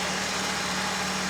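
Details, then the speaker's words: Ford 2.3L (Lima) four-cylinder, timing set on an '84 SVO Mustang: steady, even idle after the SPOUT connector is plugged back in, which audibly smooths the engine as timing jumps from 10° to the mid-20s; normal idle. "When you're done, plug the spout connector back in. Make sure you hear that audible change in the engine, and then just recheck timing to make sure that it is something more than 10 degrees."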